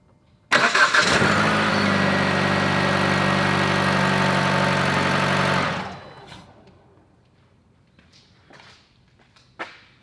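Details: 2011 Jeep Patriot, previously rewired after an accident, new relay box and starter, that cranked but would not fire: short crank, catches at once and settles to a steady, even idle before shutoff; starts normally after power and relay checks.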